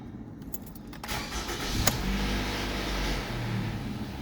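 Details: 2015 Toyota RAV4 started right after engine oil and filter change: key jingle, brief crank, catches and settles into a smooth steady idle with no knocks; healthy start, oil light checked.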